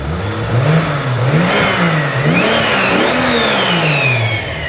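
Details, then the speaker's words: Toyota 2JZ with mechanical 90 mm throttle body, freshly reinstalled and running in neutral: sharp throttle blips with pitch climbing and dropping quickly and a rising whistle on top; insanely responsive, clean revs, healthy engine. "I don't know if it's the throttle response just because it's a mechanical throttle body or it has a 90 millimeter throttle body on it instead of like a little one but it is insanely responsive sounds really good"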